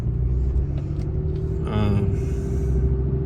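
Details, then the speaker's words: Ram 2500 on Kenda Klever RT tires at 28k miles, cruising at even speed: steady low drone under the cab, no knocks; aggressive tread quiet for the first ~15,000 miles, noisier as it wore. "I mean, it's noticeable, noisy. They weren't noisy at all for that first like 15,000 miles, I'd say. And then as they've worn, they've definitely gotten noisier."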